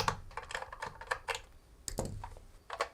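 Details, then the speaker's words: Dylos DC 1100 Pro Cloud air quality monitor being shaken: irregular bursts of light plastic clicks from an unmounted development board rattling loose inside the case. "listen to that thing rattle but we're going to see why that's rattling and what is rattling in there"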